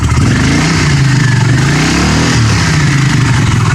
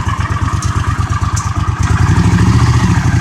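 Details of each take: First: 1982 Honda CX500 Custom, 12,000 miles, unused for over 10 years, cold day: revs rise, then fall back slowly and hang before a lumpy twin idle; idle hang after revving, earlier blamed on a vacuum leak. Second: 1982 Honda CX500 Custom, 12,000 miles, first start in over 10 years after about $125–150 of parts, cold day: even, loping twin pulse about three beats a second, picks up slightly with a blip; clean normal idle.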